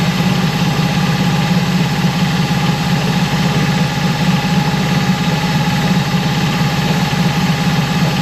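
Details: Mercury 25hp four-stroke EFI outboard after idle air control solenoid replacement, warming up: uneven loping idle about two beats per second, wavering toward stall; unstable idle persists, cause unclear.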